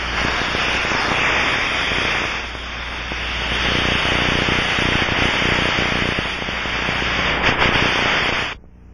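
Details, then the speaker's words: Aircraft leak inspection heard through an Ultraprobe 2000 ultrasound detector: steady rushing, static-like hiss that cuts off abruptly, turbulent flow of pressurized gas escaping a leak. "it will produce a turbulent flow as escaping gas moves from the high pressure side of the leak to the low pressure side once you become familiar with the sound quality of the different types of leaks in your environment you can easily locate a leak this is the sound of a pressure leak as heard through the ultra probe"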